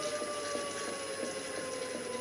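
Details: Gen1 Nissan Leaf motor on a Leaf inverter, about 245 V DC, coupled to the transmission as a load. Clean whine slides steadily lower in pitch as the motor coasts down after throttle release. Spin-down now works, unlike before.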